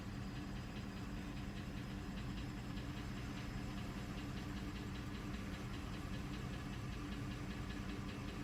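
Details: Mercedes W211 E350 at idle: steady engine note with a faint, fast light tapping or knocking over it; cause unknown.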